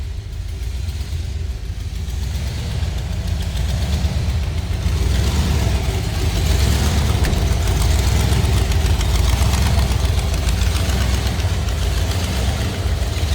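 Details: 1932 Ford Delivery street rod V8 just fired after a brief warm-up, water temp about 130 and rising, oil pressure 30–40 psi: a deep, steady low rumble with even pulses, no knocking or misses; a normal idle.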